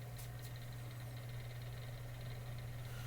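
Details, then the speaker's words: Mainstays 9-inch high velocity fan on low speed, first checkout: steady low motor hum with a faint rough shudder, fan shaking a little on the ground, not terrible. Fan blades out of balance, to be rebalanced. "yes, this one is shaking. This one's shaking a little bit on the ground. But surprisingly, it's not terrible."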